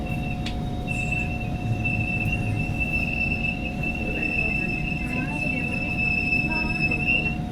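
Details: Kawasaki Heavy Industries/Nippon Sharyo/Kinki Sharyo C151 train set 089/090, built 1986–1989, recorded at door 2090 braking at Aljunied: steady, piercing high-pitched screech throughout braking over low rail rumble; brake squeal, cause not identified.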